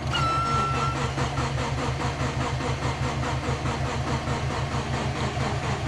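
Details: Big-turbo Subaru Forester with external wastegate and rear-mounted battery, jump-started: continuous rhythmic cranking about 1.5 pulses per second with no combustion. Owner first suspected flooding or no fuel.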